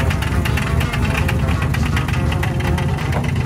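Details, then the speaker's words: Nova small block, boosted, after winning its class at the drags: rough idle with low rumble and sharp repeated metallic raps, deep bottom-end knock; owner suspects a hurt piston or bent connecting rod, oil and filter looked fine; teardown planned. "although my Nova came out of retirement swinging and won its class at the arm drop drags it came at a cost the engine is definitely wounded it don't sound good at all does it"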